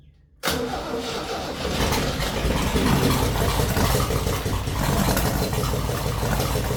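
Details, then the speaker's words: 1966 Jeep CJ5 after a wiring short causing no spark was fixed, with gas poured in and a broken plug wire: a brief crank, then it catches and settles into a rough but steady idle. "All right, put a little gas in and crank her over. She's close. And just like that, she's running."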